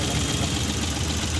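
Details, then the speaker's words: Hijet engine that had check light, misfire, vibration and no pickup, after setting timing marks and repair, idling: steady, smooth low hum with no stumble or shake; misfire and vibration gone. "हो गई गाड़ी के अंदर जो missing ए रही थी वो भी देख सकता है खत्म हो गई वाइब्रेशन वगैरा"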